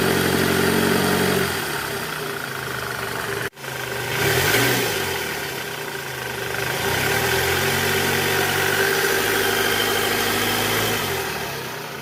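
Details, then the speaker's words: 2008 Toyota Camry 2.4 V, 2AZ-FE engine, in reverse at about 1200 rpm after replacing the weak belt tensioner; steady even hum, growl from the belt side gone; normal idle in gear after repair. "Oke Guys bunyinya udah hilang nih udah nggak ada bunyi bunyi ngoroknya udah nggak ada nih posisi R di gas kisaran RPM 1200 bunyi udah hilang"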